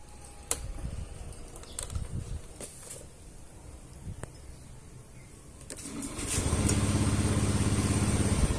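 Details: Honda Beat eSP scooter with sudden stalling, code 52, after MIL code reset: a few quiet clicks, then it catches at about six seconds and runs steadily; normal start; code 11 speedometer cable fault left unrepaired.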